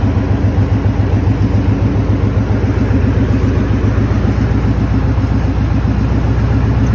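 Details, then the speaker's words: Maverick after flipping the idle air control valve back to its original orientation, which cured the high idle: steady even idle with smooth regular pulse, no hunting; normal idle. "And as you saw in the video, the idle came down and it was running good."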